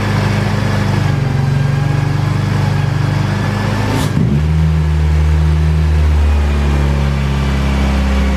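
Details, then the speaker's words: Honda K-series engine with 70mm throttle body and loose throttle cable: steady fast hum around 2500 rpm with brief dip, not settling; high idle. Owner suspects throttle-body spring needs more tension so butterfly isn't fully closing. "i think what's going on is this spring inside of here needs to be tensioned up a little bit tighter um i think the butterfly isn't actually shutting it's not closing all the way"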